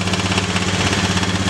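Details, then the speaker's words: Honda Beat FI injection scooter, hard-starting from weak fuel spray, now fixed: steady even single-cylinder idle with smooth regular pulse, no misses or knocks; running normally and revs freely. "ah tu sekarang sudah normal kembali sudah bisa digas seper ini ya"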